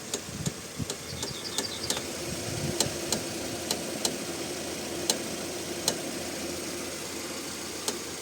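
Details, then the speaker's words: Kia Rio X front-left suspension knock a year old despite new strut mount and rebuilt strut, stabilizer bushings fine: sharp uneven knocks every half second over road rumble while steering is rocked during driving; cause unclear. "видите этот звук есть даже во время Ну как бы движения сейчас наверное другое колесо крутится"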